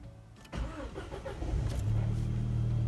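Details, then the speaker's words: Audi A4 B7 quattro after replacing the in-tank low-pressure fuel pump and tank seal, engine not yet warmed up: brief crank catches cleanly and settles into smooth steady idle; reading dropped from 80% to 50%, now normal. "I mean it's working at least."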